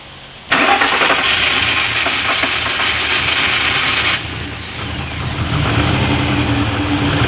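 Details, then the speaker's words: Freshly rebuilt VR6 just swapped into a 1984 VW Scirocco MK2: engine catches and settles into an uneven, stumbling, lumpy run with cylinder six dead; compression judged good enough, so coil or fuel injector suspected; dead-cylinder misfire. "cylinder six still dead mess here's our potential problems for a cylinder six essentially dead misfire mechanical problem electrical problem with the coil uh fuel injector and that's pretty much it"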